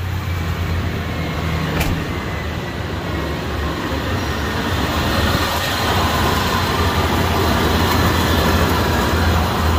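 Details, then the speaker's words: 1997 Ford F-250 heavy duty 7.5L V8, 4x4, idling right after start-up with a rough rattling scrape over the rumble, caused by a collapsed A/C compressor clutch face jarring around; a reman compressor is recommended. "what was making the noise was the clutch it's collapsed on the face and it's jarring around and making all kinds of noise when you start it"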